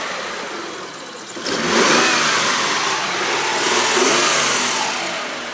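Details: 1998 3000GT revved in place: harsh metallic rattle rises past about 2000 rpm, then eases as revs settle; owner suspects a spun bearing, cause unclear.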